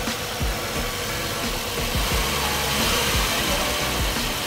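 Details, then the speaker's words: Ex-fleet full-size GM vehicle, warmed up after a cold start with piston slap, 10W oil believed used: a steady, even idle with only a soft background pulse and no knock. The cold piston slap has gone; normal warm idle. "already quieter. Generally, when I've bought the full-size GM trucks, they'll do a piston slap like that when they're cold. And as soon as the oil travels up, they don't do it."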